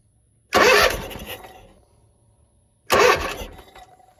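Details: Zero-turn mower, crank no start: 12 V battery, spark present, fuel in intake still won't fire, air filter completely clogged; two half-second cranking bursts, starter whirring, engine never fires; carburetor gaskets found failing, carb rebuild planned.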